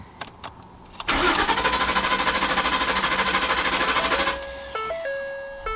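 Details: 2011 Ford F-150 5.0 Coyote, crank no start: steady cranking at about three beats a second for three seconds with no catch; tachometer shows crank signal.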